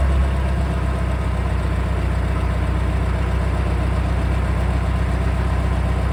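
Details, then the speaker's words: International 2424 loader tractor diesel after re-ringing, cleaned head, retorque and fresh coolant to fix smoking; steady even low chug at idle, improved, though still some tapping and smoke, engine still needs rebuilding: improved idle. "put that back on torqued everything down and fresh coolant fired it up and it actually made an improvement"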